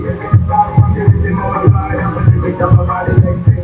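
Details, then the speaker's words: Tosunra P5000s power amplifier (Yamaha P5000s clone), channel 2 after repair with new power control: music with firm punchy bass and clear top, no crackle or harsh distortion as before; channel now plays cleanly. "Channel maganda na yung tunog ng channel 2. Hindi na siya yung sagarak na parang pangit ng sagwa ng tunog."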